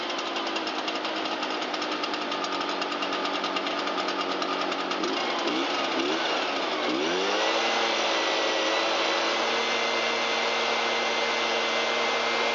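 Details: Shindaiwa EB802RT blower, a two-stroke, on a test run after fixing a backwards-installed replica carburetor and fitting new fuel hoses and a used gasket; choke off, a little throttle: ragged buzz that climbs, then settles into a clean, steady high run. Normal running.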